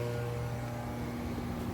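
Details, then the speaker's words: Konzert AV-502B amplifier from 2014, cleaned, plugged in: steady low mains hum with no sound output; capacitors blamed, failing filter capacitors. "Capacitor lang problema niyan. Humugong."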